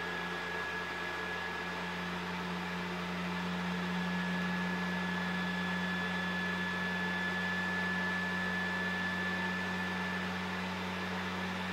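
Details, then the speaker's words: PS4 Pro CUH-7016B in the multiplayer menu, before cleaning. Cooling fan flat out at about 60 dB, a loud steady jet-like roar with a thin whine. Caused by dust and dried thermal paste; about 35 dB after cleaning and repasting. "now as soon as you enter the multiplayer menu the fan starts spinning super fast reaching up to 60 decibel it almost sounds like a jet engine listen"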